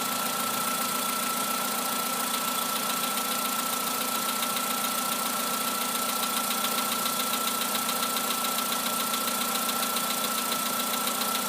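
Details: Volkswagen Polo Sedan engine at idle: a steady, fast light tapping rides over a constant hum and a faint whistle. Piston knock is suspected.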